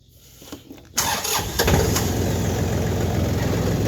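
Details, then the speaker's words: 2009 John Deere tractor with 150 hours, started in hot weather: brief quiet cranking, fires within a second and settles into a steady, even idle; a healthy quick start. "starts right up I like the sound of this thing know you shouldn't rev cold engines but it's not really it's not cold at all outside"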